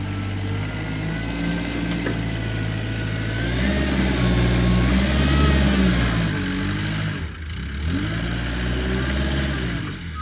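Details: Kubota 520 hydrostatic wheel loader, test-driven at the pile after a wiring-harness repair for being stuck in low range. A steady engine drone pulls smoothly in reverse with the backup beeper going, and the hydrostatic drive works normally.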